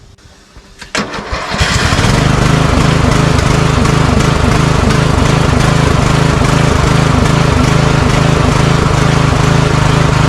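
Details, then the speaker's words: Craftsman riding mower, customer complaint of surging: engine idles with a slightly uneven beat and occasional sharp pops, surging and backfiring; carburetor later replaced. "Okay. So, there is a little bit of surging and backfiring."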